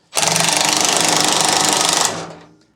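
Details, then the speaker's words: Rubber-mount Harley Sportster 1250 chopper, about halfway through break-in: harsh fast buzzing rattle from the front cylinder for two seconds, then dies away; owner suspects it could be timing related, cause not confirmed. "Bike ran all right for Born Free. There is that sound in the front cylinder."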